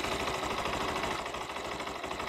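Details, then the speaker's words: Honda Shine 100cc bike, engine warmed up: small single ticking over quickly and evenly at a settled, calm idle with light mechanical patter; idle rpm has dropped and runs quietly and healthy once warm. "कितना शांत हो गया engine का RPM, जब engine गर्म हो गया तब, अब सुनिए तो ज़्यादा अच्छा मज़ा आएगा"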